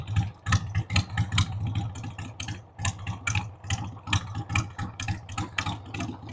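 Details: 1993 Harley-Davidson Sportster 883 Evo V-twin, sat about 15 years, revived with starting fluid on a dead battery: low, lumpy idle with uneven, irregular firing pulses and a stumbling beat; rough idle, owner says the carb needs cleaning.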